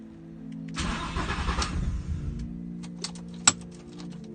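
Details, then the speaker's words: VW Golf Mk4 R32 (#18) test run after a VR6 engine swap: engine cranks, catches within a second and settles into a steady idle, with music over it; normal start, new engine running strong. "once the transplant was successful, it was time for a test run, and we're glad to say number 18's new heart is beating nice and strong."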